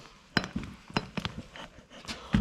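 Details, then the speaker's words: Audi A6 C6 front drive shaft, removed, loose CV boot clamp: hollow clunks and knocks as the old shaft is worked by hand, no engine running; caused cracking noise at full lock when driving; worn CV joint play clunk, shaft replaced. "when you fully turn the steering and start driving it makes a cracking cracking noises"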